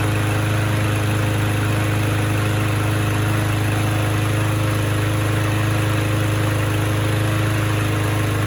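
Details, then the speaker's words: Trash-found, abused Troy-Bilt mower missing its air filter, with very low compression and uncleaned carburettor, started with a drill on fresh gas; steady, even low hum, no misses or surging. Runs surprisingly well, normal running. "Kind of surprising. It actually seems to run pretty good."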